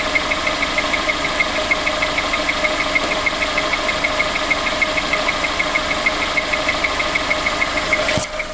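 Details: VX19 engine at quiet idle just after start-up: sharp, even tick at about three per second over the idle; ticking whose source is unclear.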